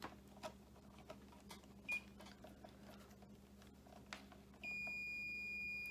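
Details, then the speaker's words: Ford 5.0 EFI harness bench test: multimeter gives a clean steady continuity beep reading 0 ohms on the ignition and EEC grounds; good ground continuity. "See how it reads 0? That's where just the continuity."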